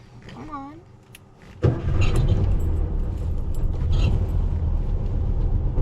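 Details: VW Bug cranking at night, starter spinning steadily about four turns a second with no catch or firing while pedal pumped; cranks but won't start.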